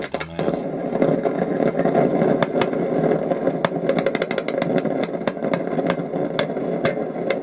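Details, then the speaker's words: Kriesler Australasia Model 11-81 valve radio, heard via signal tracer at the valve anode: steady hiss with sharp irregular crackles that sometimes get very loud; something is breaking down inside the valve. "and sometimes it takes off it gets a whole lot worse than that it just gets incredibly loud but that's definitely coming out of that tube"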